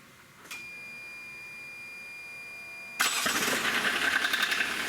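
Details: 1994 Geo Metro converted to Kubota D1105 three-cylinder diesel: newly installed electric lift pump buzzes steadily with key on, then engine fires and settles into an even, clattery idle with no misses; normal diesel idle after lift pump fix.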